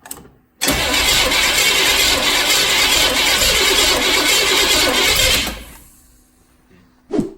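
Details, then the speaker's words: Engine first fire-up after installing new heads to fix oil consumption and plug fouling: harsh crackling roar for about five seconds with a backfire on startup, then dies; cause not confirmed. A power steering hose then broke. "fire it up buddy got a little backfire going on here"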